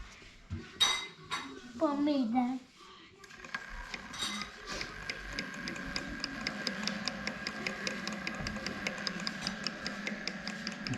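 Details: SYL-08 2000W electric skateboard hub motor: rapid, uneven clicking from the motor/drive system that rises and falls with motor speed.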